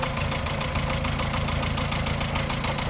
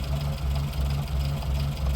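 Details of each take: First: 1954 Morris Minor Series 2, heard at about 50 mph, at idle via listening tube: quick even tapping three to four per second from front two cylinders' valve train; excessive valve clearance, water pump bearing ruled out. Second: 1954 Morris Minor Series 2 after fixing valve tappet noise, just started: low steady idle with even pulse, top end now quiet as oil reaches the tappets through the rocker; normal idle.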